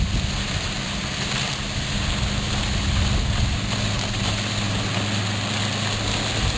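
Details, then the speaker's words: Outboard on a restored 1973 Checkmate boat with new transom, heard from shore: even, steady drone under wind and splashing with no misses or surging; hardly strains with this smaller boat, running normally. "with this smaller boat here it doesn't even hardly strain the motor uh pulling skiers and you know getting going pretty fast"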